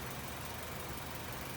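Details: 2017 Honda WR-V at idle: loud steady rough droning rumble, bearing-like, appears when the AC is switched on; internal compressor wear releasing debris into gas and oil, fixed by replacing the compressor.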